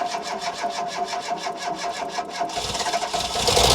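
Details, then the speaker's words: Ford Fiesta XR2i barn find off the road 14 years, previously ran before fuel pump failed: fast even cranking about 3.5 pulses a second, fires straight up into a rough roar; first start after long storage. "yay up she goes that go quiet in a minute to be fair the bloke did say it run before the fuel pump packed up"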